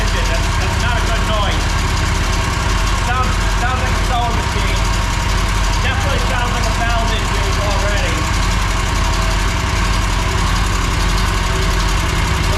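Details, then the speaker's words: Mower V-twin that lost power: fast, light sewing-machine ticking over steady low idle; excessive valve lash, needs adjusting. "yep all right so as you guys can tell that's not a normal noise"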